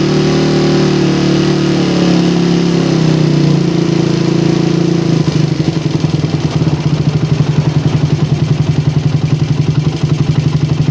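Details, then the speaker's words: Engine on PWK 28 carburetor during air-screw setting test, revved around 4000 to 5000 rpm, air screw ending at 4 turns out: high steady rev falling smoothly to even idle, no popping or hesitation; air setting sounds right. "Biar durasinya nggak lama-lama guys. Suara 4000 menuju 5000 fpm kurang lebih seperti ini."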